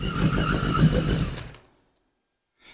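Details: 1981 Yamaha Maxim XJ650 four-cylinder, first start after 20 years unused, old oil, carbs dusty but sound: brief even run under hand throttle, firing cleanly without misses before shutting off; healthy.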